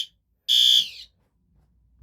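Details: System Sensor PC2W horn/strobe on test: a single loud, piercing high beep about a third of a second long, clean and steady, then silence; horn sounds correctly.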